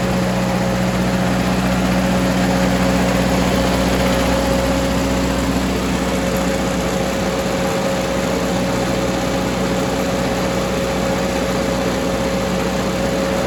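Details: Ford 961 Powermaster tractor after ignition (points) repair; it had previously been firing only one cylinder randomly. In neutral with a little throttle: a steady, even idle that holds its pitch, with no misfires, ticks or knocks; normal idle.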